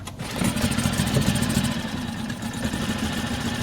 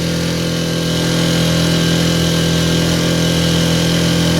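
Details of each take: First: Mercury 4 hp outboard after no-start revival (not a carb issue), first start: catches on the pull and settles into a quick even putter with no misses; starts and idles normally. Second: Mercury 4 hp outboard on a boat, no-start revived, held at full throttle, not planing, motor possibly mounted too far out: steady drone that never climbs to a crisp high note; sounds low on rpm, reason unclear.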